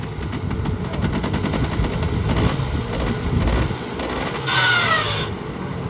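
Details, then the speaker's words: Polaris Trail Boss 350 quad, revived after 15 years abandoned: steady crackle with a couple of throttle blips, firing even and reasonably quiet, much better than before; normal running. "he's a ripper way better than it did it's quiet dude"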